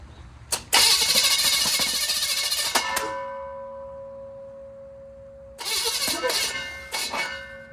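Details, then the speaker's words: 1940 Chevy, first test after work, one exhaust bank already sounding odd: two rough cranking bursts with clatter and ringing, never catches; it has 60 lb oil pressure and strong spark, timing chain unchecked; cranking no-start. "Ooh, that ain't sounding good. Give it a break."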